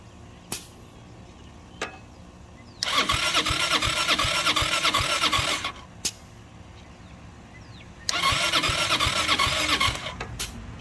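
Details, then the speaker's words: 2006 Zhejiang Kangdi 250cc kart, cranking with oil in cylinder: two bursts of fast, lazy, uneven compression strokes with short pauses; low compression, engine worn out, rings worn or stuck, blow-by seen. "yeah she's she's wore out that's why she went on fire"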